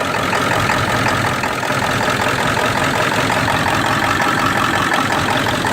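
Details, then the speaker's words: 1999 Ford F250 7.3 diesel idling: loud uneven lumpy clatter that never settles, shaking with the valve closed; it smooths when the valve is opened, cause unknown. "99 F250 with a 7.3 engine. I got a problem. This thing is running rough,"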